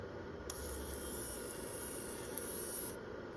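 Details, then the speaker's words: Sony HDR-HC3 HDV camcorder after capstan motor replacement and rebuilt, relubricated transport, mechanism driven at 4.5 V, about 1 A: soft, even whirring hiss for about 2.5 seconds with no clicks or catches; normal, smooth tape unloading. "But either way it goes, it's nice and smooth."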